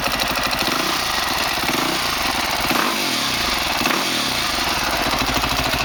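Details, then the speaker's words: 2003 Honda CRF450 four-stroke, first start after engine rebuild for seized connecting rod and blown rod bearing, started without choke: crisp, even single-cylinder idle with fast regular firing pulses at steady level; normal idle. "On a bien vu qu'elle a démarré, j'ai tiré le starter après en pensant qu'elle allait caler, et finalement elle tient très bien."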